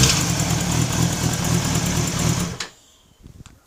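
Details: Kawasaki ZX-6R: fast uneven ticking over a buzzy engine for about two and a half seconds, then it cuts off; odd top-end noise, bent valve suspected but not confirmed.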